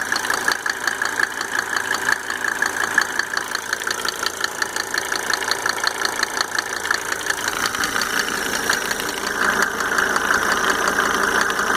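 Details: Mercedes 300D W124 2.5 L diesel idling after installing five newly rebuilt injectors with Monark nozzles: light sharp tick nearly three per second over the idle; source unknown.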